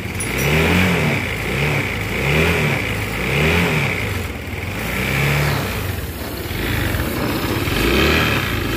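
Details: New 2023 Honda Vario 160 scooter blipped up and down repeatedly, with a coarse, uneven note on each rev; the engine runs rough, cause not pinned down.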